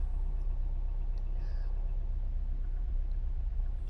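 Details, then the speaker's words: Mk3 Ford Cortina GXL 4-door, started on choke after a system flush; slightly lumpy when cold, now a low, soft, steady, even idle with no knocks or misfire; engine running sound. "so we've got that cut that engine's running pretty good it's a little bit lumpy when it's first cold i think it's going to get better and better that that sounds great"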